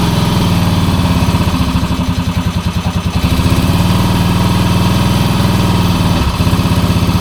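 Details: 1966 Honda C200 motorcycle single, off the road since 1972, on full choke: chugs unevenly with a wavering beat and a stumble near the end. It runs rough, and the owner suspects petrol is not getting through; cause unconfirmed.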